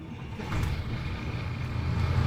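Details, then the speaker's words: Engine running after a new alternator was wired directly to the starter battery (isolation diode bypassed, before fitting an isolating relay): steady low rumble, charging immediately with no beeping or whine, normal charging. "The alternator is directly connected to the starter battery. And that's why it starts charging immediately. And as we hear, we hear nothing."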